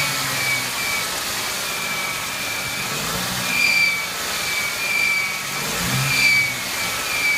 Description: 99 Ford Mustang 3.8L V6 squealing sound coming from engine.